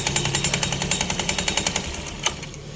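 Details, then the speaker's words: Honda Scoopy eSP scooter: steady knocking of about three to four beats a second from the CVT; most likely a drive belt that is far too slack, roller housing also suspected. "tapi untuk kemungkinan terbesar ini dari tanggal ya guys ya dari panbelnya dia terlalu kendor banget ya"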